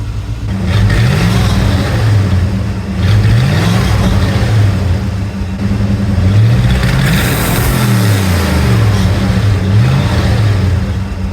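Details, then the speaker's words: 1979 Chrysler 300 V8, lumpy idle with a few light revs after an exhaust leak and muffler were fixed: dull knock from the old exhaust hitting the floor pan, stopping when revved. "I imagine you can hear the exhaust knocking on the floor. Yet another reason to replace this old system. You rev it up a little bit, it stops."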